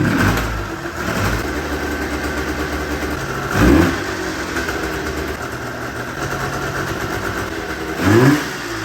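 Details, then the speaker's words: 40-year-old two-stroke snowmobile with carb idle and air-fuel mixture screws reset to factory: rough idle with sharp pops on throttle blips, backfiring from one cylinder only (wet plug). "okay so here's where we're at the recap or adjusted the idle screw and the air fuel mixture screw on the cars back to factory and now it's backfiring only out of this cylinder but I don't know would cuse a backfire"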